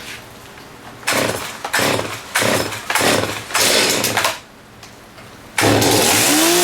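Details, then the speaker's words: STIHL MS270 chainsaw, cold start indoors: several sharp pull-start bursts, then catches and settles into a steady, even high idle; starts and runs cleanly. "So I got everything all lined up and we'll do a grimy cold start on all of them, make sure they're all still good."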